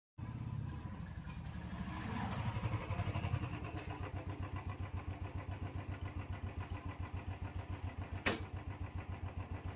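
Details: Motorcycle with a chain noise problem starts and settles into an even idle near 220 beats a minute; any chain noise stays faint beneath the engine, and the cause is unconfirmed.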